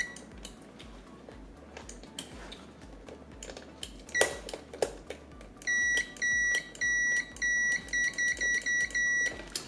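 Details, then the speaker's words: Saeco PicoBaristo SM5478 with E03/E04 errors: continuity beeps on brew drive microswitches, short even high-pitched bursts; both switches OK, technician suspects moisture was the cause. "Oba są ok, więc ja tu bym obstawiał wszystko, problemem wszystkiego była wilgoć, której wbrew pozorom tu za dużo nie ma."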